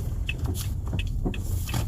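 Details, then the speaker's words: Toyota Sienta driven at full steering lock to check the drive shafts: low steady rumble with no rhythmic clicking, CV joints still good; the car's complaint is a "dug dug" noise when steering. "As rodanya ternyata masih cukup baik ya, artinya nggak ada bunyi"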